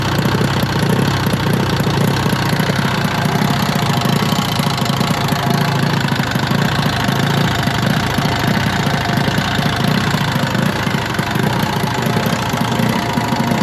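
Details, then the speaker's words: 1971 Arctic Cat fan-cooled drag sled engine, first run: rough uneven clatter, low rumble and clunking; cause unknown, owner suspects the cooling fan. "it's got a pretty noisy uh it's like a clunking sound I'm sure you can hear it I don't know what that is"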